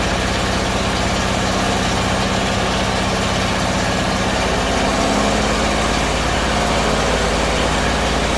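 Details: Bedford CA campervan (Rambo) being revived on a freezing −2° morning: uneven, lumpy idle with a loose, wandering beat; owner suspects too much fuel from somewhere, cause unconfirmed.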